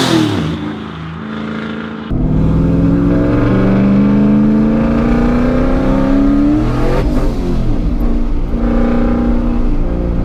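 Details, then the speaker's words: 80mm turbo Coyote Mustang on dyno tune day: the engine pulls hard with a rising note, then falters and flutters near the top as boost hits around 4,500 rpm. The throttle does something weird, which is suspected to be in the tune rather than throttle blipping. Throttle stumble under boost. "I wasn't very smooth with that turbo at the RPMs man whoo I hear that that's not that's not me blipping the throttle that's in the in the tune or something"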